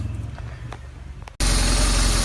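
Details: BMW R 1200 R after replacing the non-working timing chain tensioner and refitting covers, pulley torqued to 140 Nm, fresh oil: engine catches after a short quiet stretch and settles into a steady, even idle with no ticking or rattle; normal idle.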